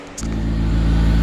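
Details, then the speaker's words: K24-swapped Honda Civic after replacing a belt-worn idler pulley and adjusting belt tension: engine settles into a steady, even hum with no squeal or chirp from belt or pulleys; loud intake air noise, no air filter; normal accessory belt and pulleys. "Alright, so I changed this idler pulley and adjusted the tension and everything. Sounds much quieter. I have no sounds from the pulley, so I'm happy."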